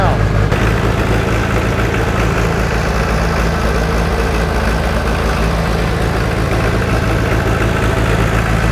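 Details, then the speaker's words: Rebuilt John Deere 1010 diesel on its first run with freshly oiled cylinders, still smoky from blow-by while the new rings seat. Loud, steady diesel clatter at fast idle with an even beat and no knocks or misses. Normal running. "Blow by remember how that was smoking like crazy before sounds good oh still Smoky for"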